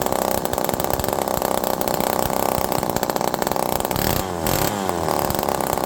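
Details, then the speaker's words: Homelite Super Mini chainsaw, low jet about 1.25 turns out, with fuel pouring out of the muffler: a loud, burbling two-stroke that wavers and stumbles. It is running rich with an erratic idle; the earlier suspected air leak seems to be settling. "But again, there is fuel pouring out of this muffler, and I'm still half one."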